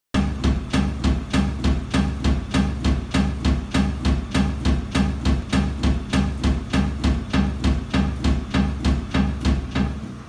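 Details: Bosch washing machine during spin, dampers replaced: heavy regular thudding almost two bangs a second as the drum slams around — suspected drum knocking from worn shock absorbers/dampers, not confirmed.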